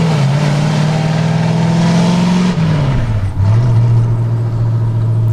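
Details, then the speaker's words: Ford F100 truck with V8 and swapped Tremec 5-speed, first drive after final assembly: extremely loud raw V8 bark swelling and dipping through the gears; open exhaust, no mufflers. "I can't even describe how unbelievably loud. I can see the collector through the floor. Like, it's dumbfounding loud."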